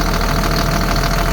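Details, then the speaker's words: 2005 Caterpillar C7 turbo diesel with 167,000 miles and 12,800 hours: it starts right up and settles into a deep, even diesel clatter at a steady idle with no knocks, and shows zero blow-by. "we'll go ahead and start it up starts right up nice and smooth"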